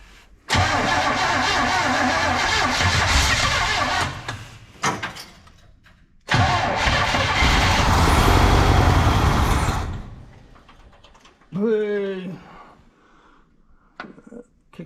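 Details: 1970 Chevrolet Monte Carlo V8 that sat for an unknown time, running on fuel poured down the carburetor: catches quickly, runs a few seconds, dies, restarts, then fades out again.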